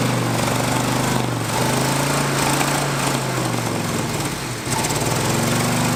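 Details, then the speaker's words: 1977/78 GMC Jimmy V8, barn find that sat for years, running on temporary fuel through the carb bowls with dual exhaust: loud, uneven, lopsided chugging as it runs on six cylinders with two spark plug wires missing. "oh man runs pretty good for missing two plug wires yeah that's pretty darn good"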